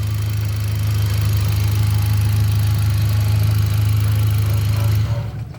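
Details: 2018 Hyundai Accent gasoline engine restarted after a cranking no-start was fixed by swapping relays, starts in one click: steady low, even idle hum, no shaking, knocks or misses, switched off near the end; healthy idle.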